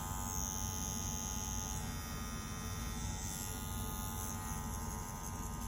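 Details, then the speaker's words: Dragonhawk Atom M5 rotary tattoo pen running, pushing a needle: steady even motor hum with faint high whine, consistent, low noise and low vibration; normal running. "it's consistent, low noise, low vibration."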